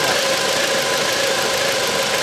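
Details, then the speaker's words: 2009 Volvo V70 (phase 2) with misfire codes P0303 and P2008 on cylinder 3: the fuel injector gives a fast, even, crisp ticking over a steady idle hiss, so it works normally; oil on the cylinder 3 plugs is suspected. "Så ja, den där knackar ju jättefint också på sprida igång det. Knack knack knack knack knack knack."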